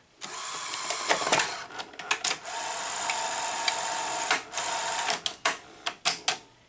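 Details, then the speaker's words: Sony GCS-50 industrial Betamax VCR loading tape: sharp solenoid clack, then steady whirring motor and string of mechanical clicks; solenoid engaging indicates the deck works, plays with slightly off tracking. "the reason why i knew it was gonna work is because when i heard that solenoid engage you listen for the solenoids and when they engage that usually means that it works"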